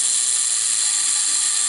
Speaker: and you hear it laboring that's because it's stretching on that spring and back up